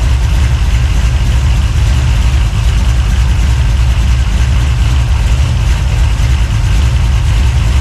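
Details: 383 stroker small-block V8, freshly built and swapped into a 1970 Monte Carlo, at first fire-up in the car: loud, deep idle with an uneven, choppy big-cam lope, steady, no knocking or top-end ticking; normal lopey cam idle.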